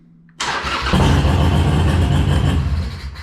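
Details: Harley-Davidson Sportster Iron 883 (Stage 1 intake, Cobra 2-into-2 exhaust, Fuelpak) started in gear with the clutch in, after the clutch switch was cleaned with contact cleaner. The V-twin fires at once into a strong, steady, lumpy idle; it starts cleanly.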